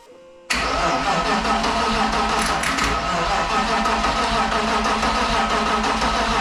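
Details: BMW M52 turbo-swapped into an E46: starter spins the engine steadily for several seconds at an even cranking rhythm but it never catches or fires; crank, no start while fuel, spark and timing are checked.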